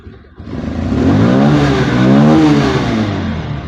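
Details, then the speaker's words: Bajaj Pulsar 150 BS6 fuel-injected single, idles off and lacks pickup: blipped once, revs rise then sag; scanner shows intake manifold absolute pressure stuck at zero even when running and revved, so MAP sensor not working. "இது ஜீரோவில் தான் இருக்குது. எந்த விதமான மாற்றமும் இல்லை. அப்போ இது வந்து மேப் சென்சார் வந்து வேலை செய்யலாம், நம்ம புரிஞ்சிக்கலாம்."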